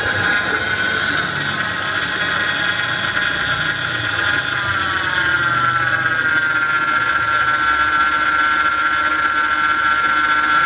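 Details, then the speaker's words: Mercedes-Benz R-Class (W251) with engine running: steady high whine whose pitch dips then holds level, power steering pump howl caused by low power steering fluid; top up before worse damage. "apabila menemukan suara yang terdengar mengaung pada mesin yang ternyata penyebabnya berasal dari kurangnya minyak power steering"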